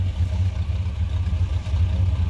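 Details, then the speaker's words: GMC Sierra 1500 pickup at idle after WD-40 was sprayed on the suspected loose tailgate cable. Steady low idle rumble with an even beat and no squeak or rattle; the noise seems gone. "Um, like I said, I don't hear nothing right now. We going to see. Give it a few minutes. Know it seem to be gone."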